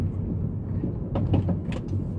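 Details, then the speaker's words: 2013/14 Honda Civic G9, about 20 days after purchase, driving to work: several quick hollow knocks over road and engine rumble from the right front suspension. Others blamed control arm bushings; cause not yet diagnosed. "Esse barulho ele vem do meu lado direito aqui, na suspensão direita, e é bem, ó, é bem chato, incomoda bastante."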